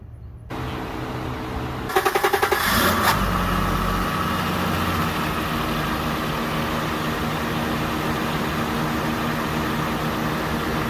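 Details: 1991 Acura Legend coupe just after timing belt and water pump replacement, coolant added and system bled: brief even cranking pulses, fires, then a smooth steady idle with no knocks or squeals; normal idle.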